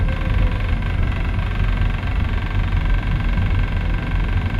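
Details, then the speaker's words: Brand-new Hyundai i40 CRDi estate diesel: heavy, deep, loud steady droning rumble at idle with no speed change; annoying abnormal vibration whose source isn't clear. "you hear that vibration that coming from do it of that red oh my God that is so annoying it's a brand new car it shouldn't be making noises like that oh my God that's so loud"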